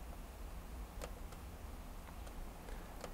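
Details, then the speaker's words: Used 1TB mechanical hard disk from a computer recycler, bench-tested on plug-in: low soft spin hum with a few crisp light seek ticks about every second, no grinding or repeated clicking; drive sounds okay and is recognised. "let's plug the next one in that sounds much more okay"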